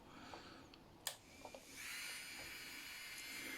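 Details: Strong 120II manicure handpiece after repair with new carbon brushes, bearings and parts: after a click, a quiet, steady high-pitched whir with no rattle or knock; the motor now runs smoothly.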